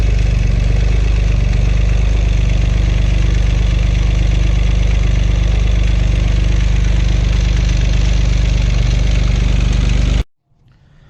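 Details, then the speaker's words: Acura 3G TL Type S J35 V6, startup after front cylinder head resurfaced and reinstalled: heavy, lumpy misfiring low idle for ten seconds then shut off; owner suspects rear head gasket also blown, or front still faulty. "I'm guessing there's either the rear head has a blown head gasket too, and I thought by just checking compression on the rear, oh, it'll be fine."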